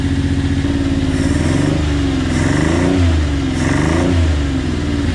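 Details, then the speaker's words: Tonka mini monster truck with an inline three-cylinder engine, sat 5 years, started on choke: lumpy, stumbling beat that surges and sags, likely a dead middle cylinder, before all three kick in; the carb may need to come off; misfire. "doesn't sound like it's running all the cylinders to me but i'm gonna say we got one dead cylinder it sounds like to me"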